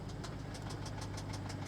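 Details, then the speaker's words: 2015 BMW 650i twin-turbo at about 127,000 miles, heard at idle: sharp metallic ticking about seven times a second from the front of the engine, like something loose; timing chain suspected, belt also questioned, not confirmed. "is it the belt what is that sound twin power turbo I'm afraid to look in there yeah I think that's the timing chain I don't think that's a nice sound at all"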